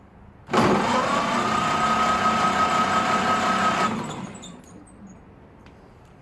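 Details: 1931 Ford Model AA truck, barn find, spark plugs refitted after spark confirmed at coil, new 6-volt battery: starter spins the engine at an even pace, about three pulses a second for three seconds, no catch or drag; normal cranking.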